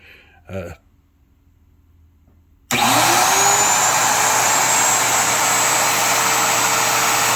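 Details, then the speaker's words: Router in a router lift, free-running with no load: quiet room, then spins up within a second to a loud steady high whine; normal. "This might be a little louder than the you know, the Makita trim routers, but you know, I don't think it's much louder."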